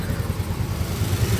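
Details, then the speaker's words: Soul GT 125 motorcycle after repeat engine teardown for a rattling engine (piston damaged again) and confirming oil flows to the block: steady low putter at idle, even beat, no knocks or rattles; smooth normal idle. "Oke dikarenakan motornya sudah bagus dan suara mesinnya sudah halus kembali"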